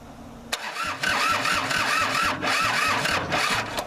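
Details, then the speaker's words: Kubota L2500 diesel tractor, start attempt, bleeders cracked, throttle return spring added, fed starting fluid and brake clean: cranks then stumbles into uneven, lumpy running with missed beats; barely firing on its own. "didn't like that I'll be darned whew yuck starting fluid in a little dab of break clean that'll take your lungs away in the air"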